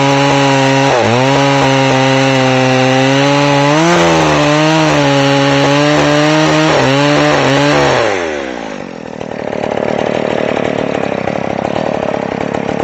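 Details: McCulloch Pro Mac 610 chainsaw on test cuts after clutch inspection and chain sharpening; high screaming revs drop and recover as the bar bites the wood, then the saw stops; pulls cleanly, four-stroking heard in and out of the cut; running great.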